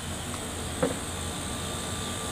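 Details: Panasonic window air conditioner running normally after a loose power plug was fixed (it had only run briefly): steady, even hum and fan rush with one brief knock.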